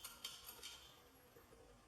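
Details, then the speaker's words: Compaq port replicator for a Contura Aero 4/33C shaken by hand: light, scattered clicks from a loose piece inside. Part of a screw housing had broken off; the fix is to glue it and weld the plastic. "But when shaking it a little bit, I hear this clickering, so there seems to be some broken off parts inside."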